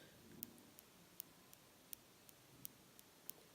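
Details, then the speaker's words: MacBook Pro keyboard, keys misaligned by thermal expansion, sound changes with where key is pressed; sharp crisp clicks with a dual sound from the keycaps: key clicking noise. "also there is dual sound so there is like this sound is there that is actually the most annoying sound that I am getting through my keycaps"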